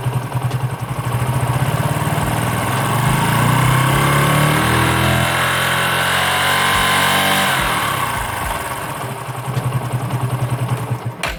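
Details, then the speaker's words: Single-cylinder motorcycle started and revved with a voltmeter on the battery to test charging; fires to even idle, pulls smoothly through a rev, magnet coil and rectifier regulator working correctly. "तो bike को start करते हैं और थोड़ी सी race देते हैं और इस पर वोल्टेज रीडिंग देखते हैं कि कितनी आती है।"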